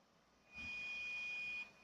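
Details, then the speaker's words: Laptop hard drive emits a thin, steady high whistle only during disk access, stopping when access stops; drive shows many red (bad) sectors, suspected dying, not yet confirmed with a test drive. "Это шумит винт шумит Вот именно в этой части Где стоит винчестер И как вы видите как только идёт к обращению винту начинается вот этот свист если мы это дело останавливаем свист пропадает"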